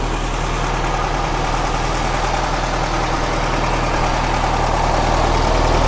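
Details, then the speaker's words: 1967 VW Karmann Ghia air-cooled engine, revived after sitting over 45 years, warmed up and with a visible engine leak: an even, steady idle with a smooth low beat and no knocks or ticks; it sounds healthy. "Doesn't sound too bad."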